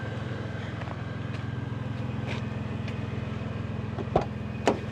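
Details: 1998 Toyota Tacoma SR5 with TRD supercharger, started on a jump after sitting over five years; settles into a steady idle with an even low throb, no knocks or misses, a couple of stray clicks nearby.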